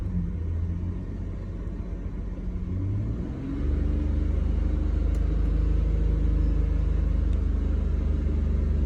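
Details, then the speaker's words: Abandoned BMW E46, just off cold start, with a scan tool showing throttle position at 0% and a hole in the intake boot. The engine idles low and steady and barely rises when throttle is applied. No throttle response, same as before; cause unknown. "see, it's doing the same as it did before, unfortunately. Throttle position is showing 0%."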